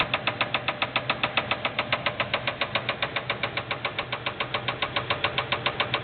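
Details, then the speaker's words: Buick Roadmaster LT1 V8 idling and put in gear: hard, even knocking three to four per second, briefly disappearing for a second or two; spun rod bearing, piston hitting head. "There seems to be a dead zone where the knock just went away for a second or two."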